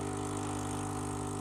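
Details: Saeco coffee machine after clearing a clogged spout: pump gives a steady, even buzzing hum with no rattle or surging while drawing water; running normally.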